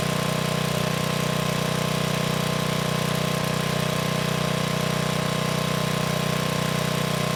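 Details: 1987 VoltMaster 4,000 W generator, 8 hp Briggs & Stratton flathead, after compression repair, under 3,000 W load: 120 V near 60 Hz (107 V unloaded). Steady even drone at constant pitch, no misfires or knocks.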